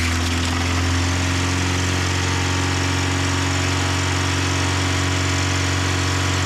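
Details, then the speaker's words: 1988 first-gen Toyota 4Runner after tightening a very loose alternator belt: steady idle with a constant high, thin squealing tone over it, likely the alternator belt still slipping. Belt squeal. "I tightened up the alternator belt, which is was very loose. Let's see if it still squeals real bad."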